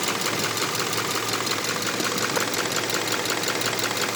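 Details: Subaru Impreza FB20 engine at idle: crisp, regular clicking about three times a second, heard around the pistons on each side; a top-end tick of undetermined origin, and the owner asks whether valve adjustment is needed.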